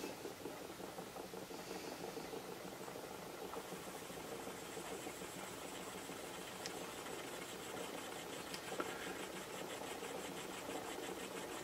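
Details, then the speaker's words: Small spirit-fired air-cooled Stirling engine with aluminium displacer, just started on a plain flame: light quick even ticking that picks up pace as it warms through, no rubbing or stumbling; normal running. "what you generally find is that they will pick up as they sort of warm through a bit"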